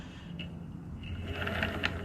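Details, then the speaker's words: Onsra Black Carve electric skateboard: sharp clicking bursts over light motor whir, traced by tilting to the left drive motor; cause unconfirmed, motor mount and belt tension already readjusted with Loctite. "hear that noise so i was wondering which one it was which of the motors was doing it so i tilted one one side just like this it's not this one watch if i tilt this side [Applause] it's the left motor"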